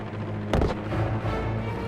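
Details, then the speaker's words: C-46 WWII-era plane in flight, right (number two) engine previously rough with a magneto problem. Steady low radial engine drone broken by a sharp backfire bang. "The right engine starts backfiring. You hear that backfire in the sky?"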